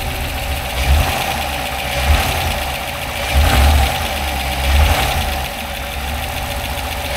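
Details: 6.2 L EcoTec3 V8, started after the battery ground to the engine was reconnected. It fires and settles into a steady, throbby idle with mild rpm swells and no knocking, and sounds fresh; no puddles underneath.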